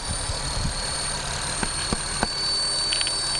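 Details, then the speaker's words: Thin, steady high buzz with sharp taps over the idle that changes pitch when the area is banged; owner first suspected a leaking gasket, but a loose intake manifold cover was the cause, fixed by tightening its bolts. "Bang on that some more. The noise changes, yeah. Something in this area. Might be this gasket could be leaking air, I think, man."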